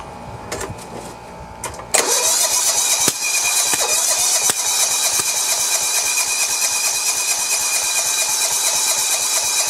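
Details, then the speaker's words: John Deere 170 with Kawasaki FC420V, after head gasket replacement, valve check and good flywheel key: short crank, then rapid uneven popping and sharp cracks, backfiring out of carburetor; valve or timing problem suspected. Backfire through carburetor. "it sounds like it's a valve problem doesn't it yes sir this is a strange one i guess i'm gonna have to look at the valves again yeah it's backfiring out of"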